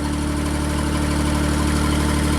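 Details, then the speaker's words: JLG Baby Scissor lift small engine after new crankshaft position sensor was backed out another turn, 2 turns total; engine speed now reads correctly and it idles smoothly and steadily with no misses or hunting. "Very, very interesting. And it's idling smoothly."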